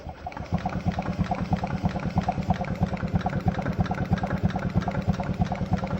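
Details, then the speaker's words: Rebuilt 1992 Polaris RXL 650 EFI two-stroke in 1994 Polaris XLT snowmobile, 55lb Ford injectors, E85, spun slowly, camera close: crisp even ticks about three a second; injectors firing normally. "Maybe you can hear them, maybe you can't hear them, but we got injectors firing, boys."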